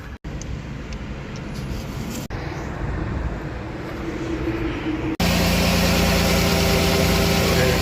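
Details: 2014 Dodge Grand Caravan SXT 3.6 after radiator and thermostat replacement, coolant topped off, heat on: steady, even idle with a low, smooth hum and no knocks or misses; the engine runs normally.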